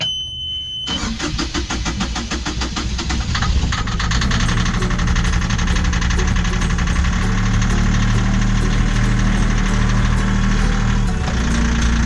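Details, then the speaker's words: Yanmar marine diesel on a catamaran, cold start after injectors were cleaned and refitted: quick crank, catches cleanly and settles into an even, steady idle knock. "Yeah, it's working. It's starting. Nice. Listen to that. It did. That was cold."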